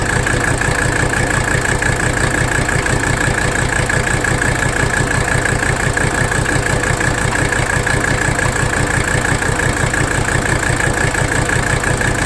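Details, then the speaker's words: 1985 Mercedes 300D diesel idling in drive with the AC on for load, while the rack damper bolt is adjusted; loud, steady clatter with an uneven, lumpy pulse; rough idle, not fixed by the adjustment. "What I'm doing now is just bottoming the nut out. We're going to make our adjustment to idle. You see that? Watch. You hear it in the engine too. Really rough."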